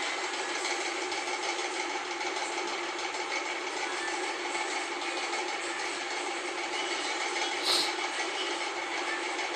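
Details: LG Intello Wash 6.0 kg WF-T7066MN washer after replacing the grinding gearbox with a new one, spinning: even, steady whir with no grinding or knocking; the drive sounds smooth and healthy.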